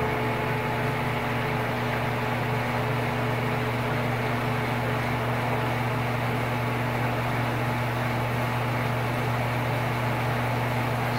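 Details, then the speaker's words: Old Sears Kenmore stackable washer/dryer after the repair, spinning and pumping out water. An even, low motor hum with no banging or rubbing, much quieter than before. Normal running. "check this out don't spin this and the waterfronts out it's going to be much quieter than it was"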